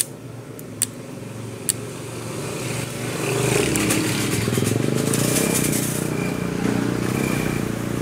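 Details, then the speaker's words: Honda Vario CBS Techno scooter that suddenly sputtered and stalled, after fitting a new regulator/rectifier (kiprok): starts and settles into a smooth, even idle with no stumble, running even without battery, showing the regulator works normally. "Nah ini adalah sebagai bukti kalau kiprok tersebut bekerja dengan normal mas bro, jadi tanpa aki pun dianya itu masih bisa hidup"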